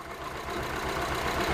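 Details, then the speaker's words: 2007 Honda CR-V, code P0304, stalling and shutting down while driving after AC compressor work and several replaced engine modules; running lean at about 13 volts, flashing check-engine light: uneven, lurching idle, a cylinder misfire. "the vehicle misfiring all right so let check Eng light this still on and flashing and all the lights is on and the engine running"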